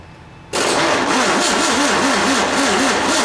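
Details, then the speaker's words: 1967 VW engine (ragtop), spark restored and fuel added; starter turns over in a slow wavering rhythm about two pulses a second, never catching. Cranks without starting, owner blames flat battery. "my don't you hate when your battery goes away so close but yet so far I got to get some juice"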